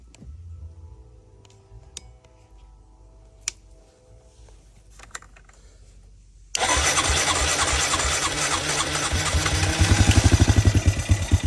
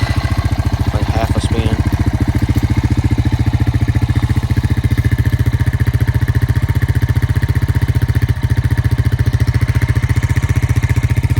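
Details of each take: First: 2002 Honda Rancher ES ATV, 1,238 miles, sat 12+ years: with gas poured in, it catches hard, revs unevenly about five seconds, then dies when the primed fuel is used up; carburetor not feeding, later cleaned. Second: 2002 Honda Rancher ES ATV that sat 12+ years, after new battery, carb clean and idle adjustment: quick catch, then fast, even putter at idle with no misses, knocks or rattles; normal idle.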